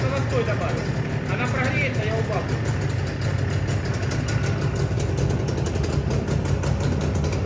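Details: JAWA 350 (638) two-stroke motorcycle after piston replacement; steady even idle with a low regular beat and no knocks or rattles, healthy idle.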